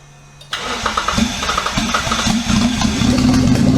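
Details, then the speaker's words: Twin-turbo Mitsubishi Triton, 3.0L 6G72 V6, warm restart after coils, leads and trigger were sorted; it fires instantly on the first crank and idles evenly with no stumble. Normal warm restart. "It's warm. See if it starts up."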